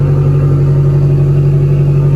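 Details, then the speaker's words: Self-built boxer engine idling with custom true 3-inch exhaust from a fabricated V-band downpipe, no catalytic converter, Y-pipe out the back: smooth even throaty burble, no knocks or misses; running healthy. "As you can hear, this thing's just purring. It runs amazing. Absolutely amazing."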